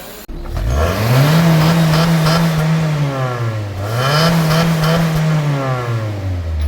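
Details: 2006 Honda City 1.5 VTEC Steermatic, earlier misfiring with unstable rpm, after spark plugs replaced, clogged fuel filter and catalytic converter cleaned; two clean throttle blips rising and falling smoothly without stumbles or pops, no misfire or codes. Healthy revving.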